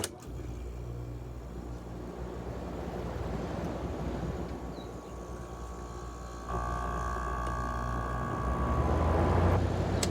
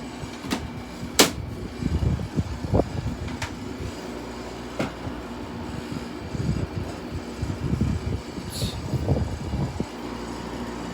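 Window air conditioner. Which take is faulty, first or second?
second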